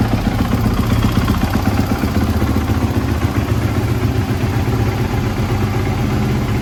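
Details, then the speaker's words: 2016 Kawasaki KX450F four-stroke after new bottom end, clutch cover, kickstarter, air filter, spark plug and valve clearance check: steady, even single-cylinder thump at idle with no knocks or rattles; strong, healthy idle. "nice and strong add a nice idle to it after that b touch"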